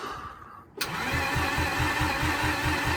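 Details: Mazda RX8 rotary engine: steady starter chug about two and a half pulses a second, never catching or firing after rebuild; crank position sensor was left out during reassembly, so no crank signal.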